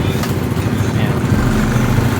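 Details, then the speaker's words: Yamaha Mio Sporty scooter, after carburetor cleaning and idle screw adjustment for earlier hesitation and weak pull, left idling five minutes to watch for change: steady, even low putter holding constant idle with no hunting or misfire. "so naka-idle lang yan mga ka mots para to check kung may pagbabago sa Menor"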